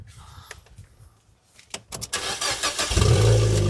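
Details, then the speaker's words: Fiat Panda that failed its MOT, exhaust now a straight pipe; after quiet clatter the engine cranks and bursts into a deep blaring unsilenced rumble, "that's ridiculous": loud exhaust from straight pipe. "That's ridiculous. That is so stupid. Can I turn it off? I'm not driving around in this."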